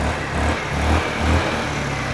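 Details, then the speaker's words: Wolf EX-150 scooter, GY6 157QMJ 150cc four-stroke, new spark plug fitted and idle raised: barely ticks over with slow, uneven low pulses sagging toward stalling, then dies. "Oh, here we go. I turned the idle up a bit. It sounds a bit low still. It's a bit low."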